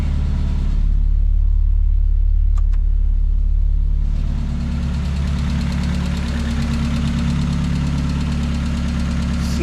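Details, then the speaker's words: 1994 Mazda Miata, sat 3.5–4 months, cold start after starter repair with the battery refitted: light regular tick over low idle, clear of the engine note; owner expects the old ticking to go away. "Oh yeah. That old ticking will go away. This thing's been sitting for about 3 and 1/2, 4 months."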